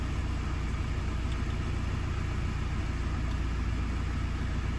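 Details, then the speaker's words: 2017 Euro 6 Ford Transit diesel after replacing the turbo boost position solenoid (codes P246B, P0045, P2564) and clearing the codes: a steady, even diesel idle with no knocks or whine and no dash lights. The fix appears to have worked. "there we go engine running no lights on the dash"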